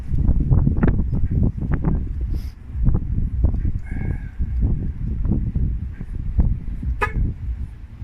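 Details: Van just after a throttle body cleaning and fresh oil change, with a forgotten hose plugged back in: uneven low chugs and surges that rise and sag without settling into a steady idle. The engine is struggling to catch and run.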